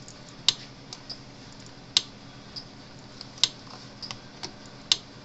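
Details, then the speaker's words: Cyclops Master electric fence charger during repair, switched on with lid open: sharp dry tick about every 1.5 seconds, steady and even; charger pulsing normally before output voltage test (about 10,000 V expected). "all right let me turn it on so it happens all right clicking snapping polson"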